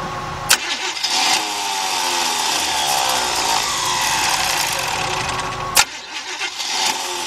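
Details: Worn starter cranking an engine, flywheel turning: harsh high whirring grind with sharp clacks at engagement and release, the distinct sound of a starter about to fail that needs replacing.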